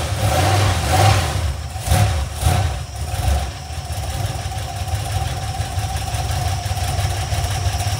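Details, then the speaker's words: Iron 5.3 LS LM7 V8, believed 2002–2003, mileage unknown, likely BTR Stage 2 truck cam, on a run stand on first start; after revs settles to idle with light quick valvetrain ticking from unprimed lifters. "the valve train sounds a little noisy you could probably hear it on [Music] camera"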